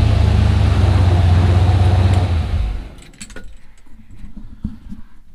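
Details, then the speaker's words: Turbocharged junkyard 5.3 LS in an S-10, first start after rebuild with a bent Gen 4 rod replaced by a used rod; some lifter noise remains, but the loud clacking is gone. Possible cold piston slap suspected. Deep, even idle. "i can still hear some lifter noise but i definitely don't hear that loud clacking that it had before"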